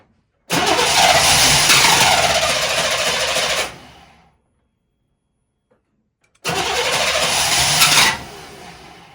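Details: 1998 Chevrolet C1500 farm truck after new fuel filter and spark plugs: two long cranking bursts of about three seconds each with no catch while the fuel pump cycles to fill the new filter; long cranking, no start.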